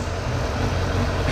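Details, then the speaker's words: 2002 Suzuki GSF600 Bandit inline-four, idling on an auxiliary fuel tank after carburetor synchronization with four vacuum gauges; smooth, even idle with no misses, hunting or lope. Carbs now in sync. "I think the rest of them all look in line to me the bike sounds all right so I'm gonna call this"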